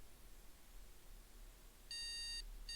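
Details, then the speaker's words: PC that boots only after holding the motherboard MEM OK! button, with known-good Kingston HyperX 4 GB RAM in slot A1: BIOS beeps one long and two short, no video on the DVI monitor. "so we're getting one long and two shorts"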